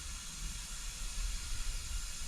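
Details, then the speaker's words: Small block Chevy 350 Vortec, believed from a 96 or 97 pickup, rebuilt, cold, rings not yet seated, leak-down test: a steady airy hiss over a low rumble, air going past the pistons rather than the exhaust or intake; piston ring leakage. "You can hear the air isn't coming from, it's not coming from the exhaust, not coming from the intake. You can tell it's going past the pistons."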